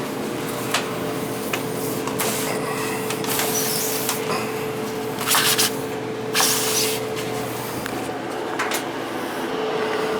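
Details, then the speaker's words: New gas dryer that struggles to dry big loads of towels, exhaust vent disconnected to check for a blockage: strong, continuous rushing air with a steady hum underneath. Good, free exhaust airflow, and the unit is working fine. "turn it on and we'll see if it blows out yeah we're getting a good flow here"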